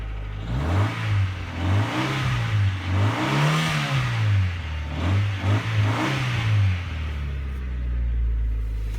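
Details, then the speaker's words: 1993 Honda Civic CX hatchback, 1493 cc rebuilt engine, 5-speed manual, new muffler but resonator deleted long ago: revs rise and fall with a thin, raspy, buzzy "pea shooter" exhaust note and little muffling; loud exhaust from missing resonator. "yeah, put a new muffler on the car, but somebody deleted the resonator a long time ago. It's a little pea shooter exhaust."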